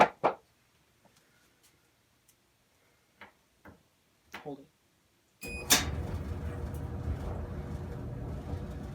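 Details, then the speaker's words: Squeaky Amana clothes dryer after third reassembly with heavy grease on the squeaking roller/idler: a few handling clicks, then the drum settles into a smooth, even hum with no squeal or chirp; normal running. "sounds good once again so that's our last try now we've got heavy grease in there"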